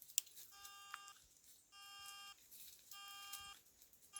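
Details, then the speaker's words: Cruiser metal detecting headset, fully charged, beeping on power-up: high-pitched beeps in half-second bursts repeating about every second; it will not connect, cause unknown. "something's wrong with these cruiser headset again I can't get it to connect it's doing something different now now when I turn it on it just starts beeping huh"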